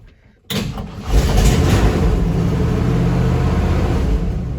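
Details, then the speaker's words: 1955 Ford F100 with 302 V8, first start after sitting all winter, battery booster and gas in carburetor, after electrical work for cut-out-on-run fault: brief crank then steady even low idle rumble; normal start and idle. "That's what we wanted to hear. I just hope it keeps doing it."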